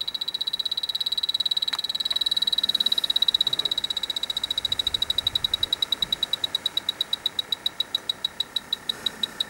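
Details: Dry air generator that lost its refrigerant, electronic leak detector held at the evaporator coil: fast, high-pitched electronic ticking at about eight a second, holding steady. Refrigerant leaking at the coil.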